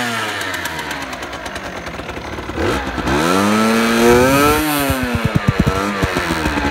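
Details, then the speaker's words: 2018 Beta RR 50 enduro, 50cc AM6 two-stroke, 6-speed, still restricted: catches after a few seconds, blips up and drops to a crisp, even buzzing idle with light pops. A normal, healthy start and idle. "Apparemment quand c'est débridé ça fait pas beaucoup plus de bruit, hein."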